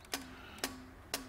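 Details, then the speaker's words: EGR valve on a Sykes-Pickavant EGR Valve Activator (30077500) 90-second clean and test cycle: sharp click every half second, each followed by a short low hum as the actuator moves; valve cycles cleanly and passes with a green light. "so this is actually just knocking off the carbon it's open and closed the job of the machine is knowing if it's going to be open and closed and fully so it's doing all these tests"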